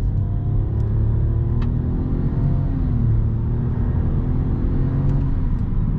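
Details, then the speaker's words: Car with 1.0 TCe turbo engine and CVT, slightly warmed up, full-throttle launch from standstill: heavy low drone climbing steadily with a faint turbo whistle from the rear; pulls cleanly, doesn't push you into the seat, normal acceleration. "Kalkışı güzel koltuğa yaslamıyor ama bu motor sizi üzmez"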